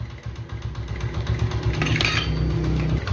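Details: Honda CD 70 motorcycle just started after full tune-up: steady single-cylinder putter about four beats a second, even, no knocks or ticking, healthy well-tuned idle. Normal idle.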